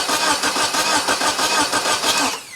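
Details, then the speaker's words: Geo Tracker that won't start, cranked after reconnecting the starter signal wire, with one spark plug out, the coil disconnected and the fuel line disconnected: steady cranking at about four compressions a second with no firing; normal cranking. "I think that sounds good. I really, really, really do."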